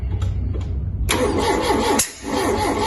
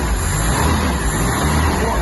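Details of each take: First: Mk2 Ford Capri 2.0 GT Pinto, long-dormant: spark confirmed and firing order 1-3-4-2 checked while the distributor is rotated by trial and error. Starter cranks in rhythmic bursts that nearly catch but never fire. No-start from incorrect ignition timing. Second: Ford Mk2 Capri 2.0 GT Pinto engine, unrun for many years, first start on old oil after the new distributor was re-timed. Deep, even rumble with steady firing and no misses, pops or knocks. Some choke smoke, no blue smoke; normal idle.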